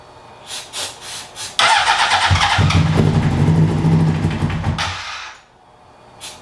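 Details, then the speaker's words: 2003 Honda CBR600RR, first start attempts on a newly acquired project bike: several seconds of fast cranking, the engine half-catching but never running. Crank no start. "well it's it's almost there it's trying I'm going to make sure everything's not on fire"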